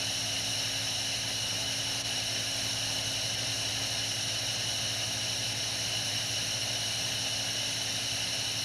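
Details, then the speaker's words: Toyota TCCS fuel system, fuel pump powered directly by bypassing the circuit opening relay, ignition on: even high-pitched electric whine at constant pitch, no surging or grinding; pump works normally, fuel pressure rises to standard. "This is what the fuel pump sounds like when it operates. And the fuel pressure will rise to the standard value."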